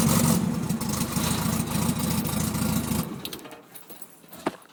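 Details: VW Beetle air-cooled petrol engine idling lumpy and uneven with irregular stumbling pulses before shutting off; rough running, suspected misfire, cause not confirmed.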